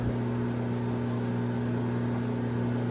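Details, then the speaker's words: LG front-load washer after hot and cold water valve replacement, diagnostic mode, second stage tumble: smooth steady motor hum with low drone, no knocking, scraping or rattling; drum tumbles normally. "regular wash or I think the first price is a regular wash and the next press will be a slow spin it's tumbling right now number two"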